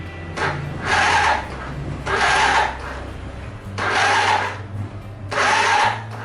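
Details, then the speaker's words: Super Cub starter cranks slowly in four one-second whirring bursts without catching, even after the battery was replaced; it kick-starts easily. Switch, relay or starter motor suspected. "The starter motor is not turning properly and will be repaired. This, the starter motor will slow down and He replaced the battery, but still too slow."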